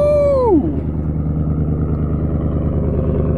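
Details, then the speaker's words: Flex-fuel E85 Copart truck, possibly a farm truck, just fired up: a brief falling whine, then a steady, even low idle with no stumbles. The check engine light is on, but the idle sounds healthy. "huh she sounds good she does have a check engine light but it sounds good"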